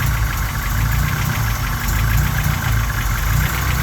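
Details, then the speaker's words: Honda Civic G23 engine at cold idle: hollow, rhythmic knock around cylinder one or two, louder at idle and disappearing once warm, like an old Volkswagen diesel, piston slap. "it's a piston slot same thing here around the this area R cylinder one or two hear the noise look like old volksvagen diesel engine yeah this a piston slap"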